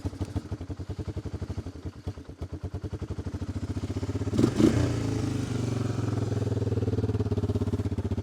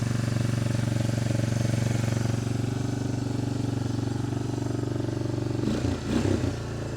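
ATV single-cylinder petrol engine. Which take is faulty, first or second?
first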